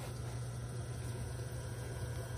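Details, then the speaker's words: Sump pump system with two pumps and high-water alarm, both plugged in after alarm triggered, water draining within seconds; steady even low hum with no surging, rattling or knocking; normal pumping. "water get down from the black pipe to here, and then the process just go again and again during the rainy season."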